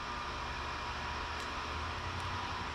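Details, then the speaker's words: Titan TTC-SC60(B)+ circulation fan at 100% max setting: even, steady rushing air with soft low drone and no rattles or pulsing; runs smoothly at full speed. "That's I mean, that's that's moving a fair amount of air."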